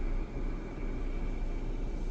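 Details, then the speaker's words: Jeep Grand Cherokee with AC switched on: steady low rushing hiss like gas surging through the evaporator under engine hum; suspected low refrigerant. "a ver si se escucha se escucha como cuando yo pienso que es como cuando entra el gas acá el evaporador vamos a recargar hacer vacío y a llenarlo otra vez para atrás y y vamos a ver si sigue haciendo ese ruido"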